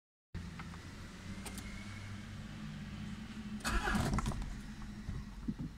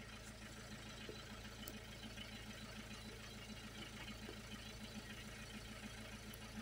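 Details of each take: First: 2001 Peugeot 306 2.0 HDI, no check engine light and no readable codes: starter spins the engine at an even pace, about four turns a second, but it never fires; faulty ECU, fixed by a replacement reprogrammed to the car. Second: 2001 Peugeot 306 2.0 HDi diesel after ECU replacement and reprogramming, previously no start with no check engine light: steady idle with even low clatter at constant pace, no misses, knocks or hunting.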